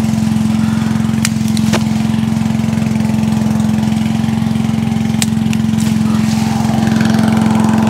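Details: Allen chipper/leaf shredder small single-cylinder engine, stone cold on choke, carburetor ultrasonically cleaned after starting problems: runs steadily with an even beat and constant hum, a few light clicks early on; healthy.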